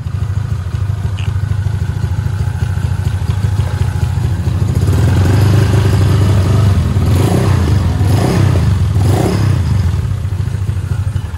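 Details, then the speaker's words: Honda Vario 150 scooter after repair of a broken cylinder head (cam chain not replaced). Smooth, even, low-pitched engine note rising gently with throttle, no knocks or rattles, sounding healthy; the mechanic says the cam chain may rattle when hot. "Nah udah dengar suara tadi alhamdulillahnya ini alus guys jadi aman"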